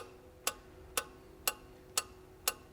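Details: 2002 Renault Master 2.2 dCi with no power, no codes and lots of black smoke: five crisp, even clicks about every half second over near silence as the EGR valve steps through its cleaning cycle normally.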